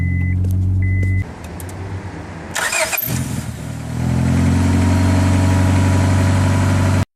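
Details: 2000 Honda Accord with new starter and new battery: short crank, engine catches cleanly and settles to even, steady idle with no misses or knocks; normal start and idle.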